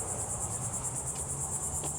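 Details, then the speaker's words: 2014 Ford Explorer with ignition off, shifting issues and battery drain: thin high pulsing buzz about nine a second from the valve body as the PCM keeps transmission solenoids powered after shutoff. "There's a buzzing sound."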